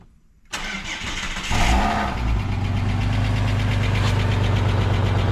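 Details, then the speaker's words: Ford EF Fairmont, cold start before repair: cranks and catches, then a loud idle with a tinny buzzing rattle on the exhaust beat; centre-section muffler baffles broken loose and muffler holed, cat heat shields already clamped. "It feels and sounds like all the baffles have gone in the muffler, they're rattling. I know the muffler's got a few holes in it."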